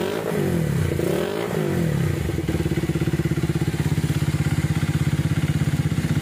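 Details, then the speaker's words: Minerva R150 Xrod single idling smoothly with no tapping after repair of rough noise and white smoke: piston (seher) replaced with new one, other parts replaced; engine now quiet and healthy. "Video awalnya berasa putih, ini saya diganti, ref diganti, nokonas diganti. Sekarang udah lembut suaranya."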